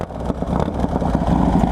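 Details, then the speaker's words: 2005 Harley Dyna Wide Glide stroked from 88 to 107 cubic inches, with Feuling 574 cams and Thunderheader exhaust. The owner says the starter occasionally slips, but this time it catches cleanly with no grinding and settles into an even, loping idle. Normal start. "Every once in a while when I start this bike, I can hear it slipping out. We'll see if it does it during the start or not. Oh, it didn't."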